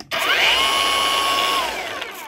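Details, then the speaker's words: Makita (Chinese-made) cordless mini chainsaw after controller replacement and new soft oil line: sharp spin-up to a steady high whine, held about a second, then smooth coast-down; saw now starts and runs normally, oil feeding. "Ну и пила запускается"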